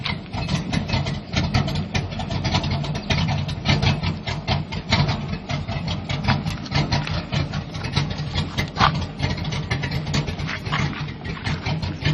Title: Square Body Rough idle